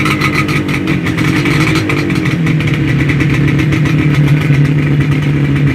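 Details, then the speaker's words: Yamaha RD250 DX two-stroke twin after sitting a long time, previously running on only one cylinder, now started with fuel from a temporary tank. Crisp, even two-stroke crackle with no misses and a rev: running normally on both cylinders. "yes classic yeah it go it sounds good there we go hey I wanted to give it a little Rev got to love the sound of a two-stroke twin"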